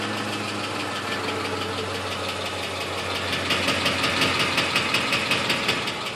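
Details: 2006 Ford F150 5.4 L at idle: light, sharp, regular top-end ticking about three per second over a quiet idle, appeared during a long road trip; cause unknown.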